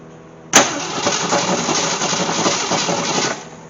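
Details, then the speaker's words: AMC Gremlin with unknown 290 V8 from a 1968 Javelin, after sitting in fields over 15 years, new solenoid fitted, no spark yet: starter spins it about three seconds with dry clattery churn, never fires; rattly crank, no start. "Boy, she sounds rattly. I sure hope the oil pressure comes up a little bit soon. She sounds terrible."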